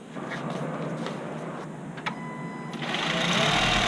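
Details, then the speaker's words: 2011 Honda CR-Z 1.5L hybrid started right after an oil and filter change: faint ticking hum, then the engine catches and runs quiet and even; "Wow, it's quiet", a healthy normal idle. "Wow, it's quiet."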